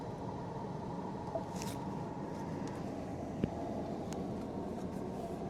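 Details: 2015 Ford Explorer after replacing the HVAC mode door actuator (no air to floor, clicking behind dash): steady, even low blower rush with a couple of light clicks, no whine or rattle; normal blower airflow.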